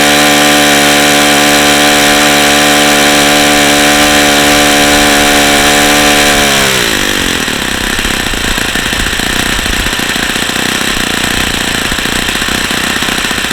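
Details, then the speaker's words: Saito FA-45 original ringless ABC model engine at full throttle: steady high scream for six seconds, then pitch sags and turns ragged as high RPM drops with heat; worn-out engine. "the highspeed high RPM is dropping as this engine continues to get hotter so that's just leading me to believe that this engine is just simply wore out"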